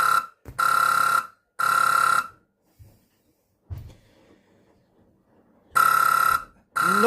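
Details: Repaired Maygay fruit machine board with a blown U41 and sound chip from a meter bypass power-up: loud, piercing high tone in repeated on-off bursts of about half a second to a second. A board fault alarm; cause unconfirmed.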